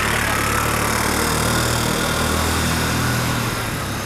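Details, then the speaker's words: Restored budget buggy with small single-cylinder engine on its first test drive after engine install: steady even beat about four per second while driving, no misses or knocks; normal running. "klingt so als wä zufrieden"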